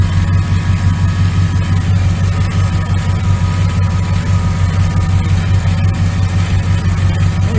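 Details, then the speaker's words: 1999 Dodge Ram 1500 5.9L V8 gas at idle after new starter, belt tensioner and idler pulley (old bearing rough): deep, steady idle with even low rumble and no knocks, ticks or squeals; healthy. "Motor sounds good. She's a little old, but get it in order so it'll serve you."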